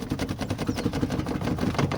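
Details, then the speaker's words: VW Fusca (Beetle) original seat rocked by hand: quick irregular clacks as the seat rails knock despite their plastic covers. Play in the old rail design is hard to cure; fitting Corsa seat rails is one option. "ele faz barulho, né? Ele fica jogando. Aqui não tem muito o que fazer, mas esse é um barulho difícil da gente estar sanando, tá?"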